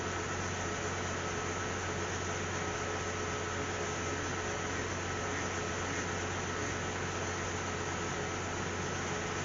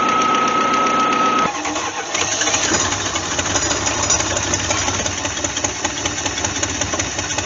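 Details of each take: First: Cadillac CTS 3.6 L V6 with a cylinder 1 misfire, after spark plug replacement, heard at the rear exhaust. Smooth, even idle hum with no skips or stumbles; all cylinders now fire cleanly. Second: Cadillac CTS 3.6 L after start: idle stumbles with an uneven, lumpy beat about four per second, a misfire on cylinder #1 before the spark plugs are changed.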